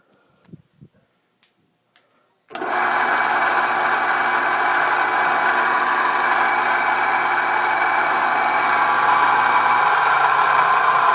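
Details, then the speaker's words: Wade C.A.V. No.1 plain turning metal lathe, drive motor: it starts and holds a loud, steady whirring drone with a rough, edgy tone that stays level; the motor itself is unusually noisy, while the lathe has babbitt bearings. "uh you're worried about that really loud noise yeah that's the that's the motor i'll take it take it off the lathe and you can you can hear it excuse"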